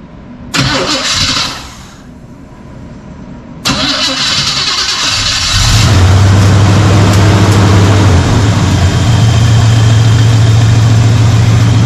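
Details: 1985 Chevy C10 with 307 small block, fuel-starved so needing cranking or bottle feeding, vacuum gauge and timing light hooked up: couple of cranking bursts, catches around five seconds, settles into steady, even idle with no misses.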